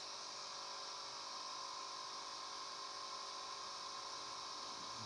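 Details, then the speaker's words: Radiolink RC8X FPV kit camera heard through the phone's USB camera app feed: a constant loud, hissy high whir with no speed change. The owner thinks it comes from the ventilator (the cooling fan) but is unsure of the source. "But makes noise. Maybe it's not from that. Guys, if you know if the noise is from something else, let me know, because I think it's from the ventilator."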